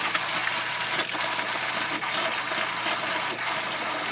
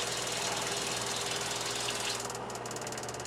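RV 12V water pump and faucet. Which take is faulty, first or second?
first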